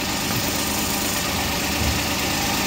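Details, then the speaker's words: Suzuki Every idling after release bearing replacement. Before, the transmission was very noisy and grinding, worse with the clutch pressed. Now it gives a steady, even hum with no whirring, grinding or knocking, even with the clutch pressed. "Kanina sobrang ingay dito pero ngayon wala na. Kanina pag inapakan ng clutch tumutunog pero ngayon wala na."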